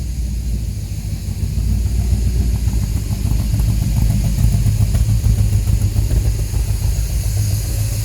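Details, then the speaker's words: 1950 Cadillac hearse-turned-motorhome engine, cold start at room temperature after sitting days, distributor moved so timing unknown: low lumpy idle, three or four stumbles a second, one bank seems to miss; clears when revved. "see how easy it cold starts here at room temperature it sounds like it's missing out of this side"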